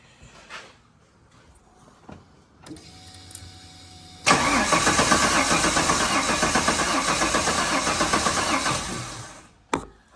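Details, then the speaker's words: Holden VY Calais L67 drift car engine, rough idle and low power after track use, DFI module unplugged for no-spark cranking: about five seconds of uneven, lumpy cranking with a wallop; at least one cylinder, likely number 3, faulty. "So hearing that wallop in it, it tells you that there's something definitely not right on at least 1 cylinder."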